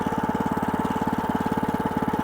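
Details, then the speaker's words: Cold WM500 diesel garden tractor with snow plow, icy exhaust, just started in winter: fast, even clatter of about sixteen knocks a second at idle; typical cold diesel rattle that settles as it warms. "słyszycie też po pracy sila że na inaczej słychać słychać w dieslu takie charakterystyczne klekotanie aczkolwiek jak czym on bardziej łapie temperaturę tym bardziej zbliża się do pracy już takiej właściwej"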